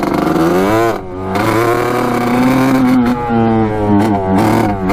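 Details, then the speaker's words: 1986 Kawasaki KX125 two-stroke on its first ride, with a cracked expansion pipe whose JB Weld repair failed, a missing pipe spring and fuel leaking: blubbery, uneven revving that surges and sags, as if out of gas. "um it's not running too great right now no what's going on with it it's like it ran out of gas"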